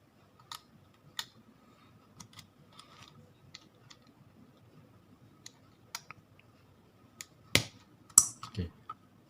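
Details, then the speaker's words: LG top-load washing machine drain motor, bench-tested on 220 V: sparse, irregular light clicks with no pull or hum. Motor clicks but won't pull in, so it is faulty, causing no drain during spin and an error. "ตัวนี้ดังต๊อกแต๊กแต่ไม่ดึงตัวนี้เข้านะครับ"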